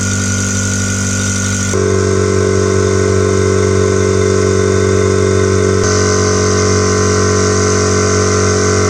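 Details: New SGS 50-litre air compressor, first run after unboxing, building pressure to auto-stop: steady even motor drone with constant pump beat, no knocking or squeal; normal compressor run.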